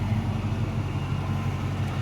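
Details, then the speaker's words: 2006 Chrysler 300C SRT8 supercharged V8 with modified exhaust and full cats, idling on a near-100-degree day: quiet, even rumble with a slight supercharger whine, then the cooling fans kick on. Healthy. "engines fairly quiet the supercharger you can hear whine a little bit there's the fans kick it on"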